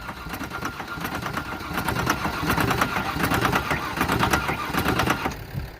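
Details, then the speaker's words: 1994 Ford Ranger 3.0 L V6, no transmission, being run to destruction with nitrous and water in the intake manifold, getting tight: loud uneven metallic knocking several blows a second over a labouring engine, rod knock. "oh it's starting to get really really knocky"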